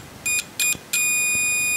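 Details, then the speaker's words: Multimeter whose continuity test and diode test share one range, probes shorted: three quick high chirps, then a steady high continuous tone that responds instantly; about 0.03 V drop across the test leads; normal continuity beep. "Klemen zusammenu Kdiotentest 003 Volt ist klar der Spannungsabf an den Messleitungen hat ein kontinuierlichen Ton und reagiert auch so."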